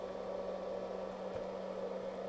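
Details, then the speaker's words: FA-400 solder fume extractor fan after being disassembled and reinstalled: smooth, even airy whoosh with steady low hum, no more clackety tractor-like motor noise or rattle; fan now runs normally with strong suction. "it's now firing on all cylinders no more clackety clackety noise actually sounds like a fan should right"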